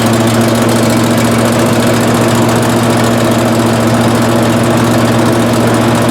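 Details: 18hp Briggs & Stratton Vanguard twin on a Giant Vac leaf vacuum, stored four years and wouldn't start, after carburetor replacement and oil change: steady, even drone at constant speed, no knocks or misses; normal running.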